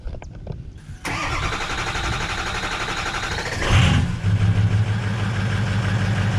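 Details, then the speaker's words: 2006 Ford F350 6.0 Powerstroke first cold start, check engine light, two glow plugs out: short crank then loud, clattery diesel idle settling unevenly; failed glow plugs make the cold start harsh. "all right sir she's a big loud beast there is a check engine light on it I said there's two glow plugs that are out"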